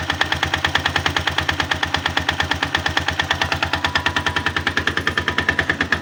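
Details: 162FMG-G single-cylinder engine: loud, sharp metallic knock about eight hits a second locked to engine rhythm; source unknown, knocking quieter when the machine is tilted to one side.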